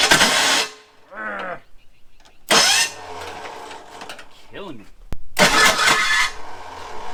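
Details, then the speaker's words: Abandoned Ford Thunderbird pulled from near Amarillo: harsh grinding bursts at each key turn with no firing, starter grinding instead of engaging cleanly; owner suspects flywheel teeth are smoked. Fuel pump audible after finding the inertia switch, but still no fuel pressure. "all right so i think where we're sitting now is that i have just completely smoked the flywheel trying to get it to start"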